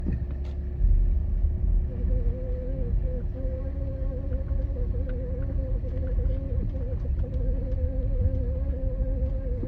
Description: BMW E91 xDrive: Humming noise from the drivetrain. What could this be? 🤔